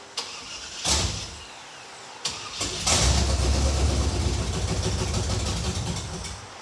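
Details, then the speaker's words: Engine cranks in two short bursts, then catches after priming and runs on a rough low rumble; suspected that the mechanical fuel pump isn't picking up gasoline from the tank because of a leak at the fuel filter. "what we think just happened is that the mechanical fuel pump is not picking up gasoline from the tank because there's a Le right here at the fuel filter"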